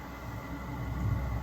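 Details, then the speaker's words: Webasto Airtop 2000 diesel heater fitted in a Citroen Ami, first start-up: steady, even low rumble with a soft turbo-like fan whoosh, no misfire or stutter, diesel fumes at the exhaust; normal running. "So now. it's fired up now, yeah. Oh, I can hear it. I can smell diesel fumes."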